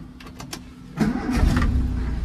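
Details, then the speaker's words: Ford Escort MK2 1600 Sport with the 1600 Kent engine: brief cranking, starts within a quarter turn and settles to a smooth, steady idle; normal start and idle. "there's your idling. I don't know if you heard that, if you can hear that. But it's like a quarter turn and she starts."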